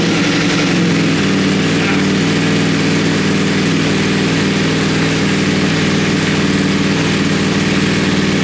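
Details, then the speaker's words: Wrecked 2020 Ducati Panigale V4S on its first start, in neutral with no throttle attached. The V4 catches with a pop and fire, then a rough, lumpy idle with smoke; the owner hears a backfire and suspects fuel burning off the engine. "it's got a definite uh I don't know it's like a backfire or something you hear that"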